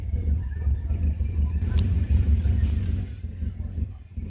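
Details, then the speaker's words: 1999 Subaru Legacy B4 idling roughly, loudness surging and dipping about three times a second, engine shaking; suspected misfire, oxygen sensor and earlier knock sensor codes stored; rough idle. "1999's baru legacy before its men s dead I was very erratically as you can hear is misfiring I think because shaking a lot"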